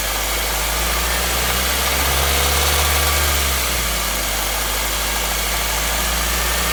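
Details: 2016 Nissan Versa with 449 km at idle: steady hum with fairly regular light knocking, a few beats per second; cause unconfirmed.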